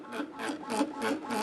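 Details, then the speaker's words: Anycubic Kobra 2 3D printer while moving: repeating tonal hums rising and falling about three times a second, loud droning resonance amplified by the cheap injection-molded base. "there's a bunch of additional resonances and basically you get this sound amplification going on and it makes it kind of loud and obnoxious especially when they're using metal Earth"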